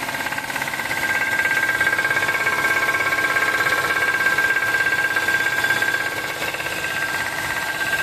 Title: knocking noise engine !! #knockingnoise #shorts